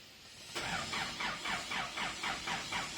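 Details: Isuzu D-Max diesel with a hot engine, which a mechanic says is worn (loose rings). The starter churns in even pulses about four per second without firing. The mechanic suggests unplugging the temperature sensor; the cause is unconfirmed. Hard hot start.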